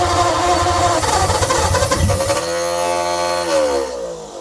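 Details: 1948 Ford flathead on an engine stand, choke about half open: it catches and fires raggedly, then sags and fades after a few seconds.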